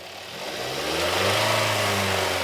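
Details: 2020 Hyundai Tucson 2.4L with code P1326: engine climbs smoothly from idle, holds higher revs and returns, pulling freely without stumble; healthy free revving.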